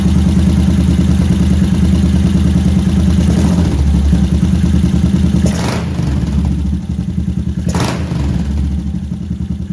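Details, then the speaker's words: Yamaha SR500 single cylinder at first start after an engine overhaul and carburetor fixes, with the air filter off: loud, hard thumping on throttle blips with nothing muffling it, because the Akrapovic silencer lacks its insulation. "because it's loud, the exhaust doesn't insulate at all"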